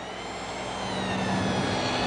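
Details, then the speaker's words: Tagan BZ-900 power supply with a Galaxy Tech 8800GT on Vista 64-bit: thin high-pitched squeal climbs and settles over a low steady hum as 3D load returns; PSU coil whine present only in 3D, tied to frame rate and whether VSync is on. "What I found out is that it has to do with V whether VSync is on or not. So it's directly related to frame rate."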